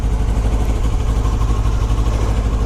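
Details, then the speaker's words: 2008 Kawasaki ER6f (Ninja 650), cold with the choke on: steady, even fast idle with revs held a little high, no fairing rattle or buzz; high idle on choke. "say the refs are little high at the moment go crack the pit tonight just well that choke is on"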